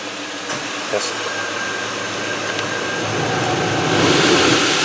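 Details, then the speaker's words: 2004-07 Buick Rainier HVAC blower motor after removal and cleaning out debris, engine running, fan speed raised: smooth steady rush of air building with speed, no rattle or scraping; debris was the noise cause, normal. "i believe that was the problem right that sounds good"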